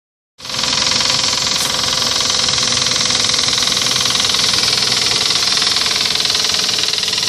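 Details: Toyota 1GZ engine running with a fast, even ticking knock about three a second sitting high over a hissy engine note; engine knock, source not stated.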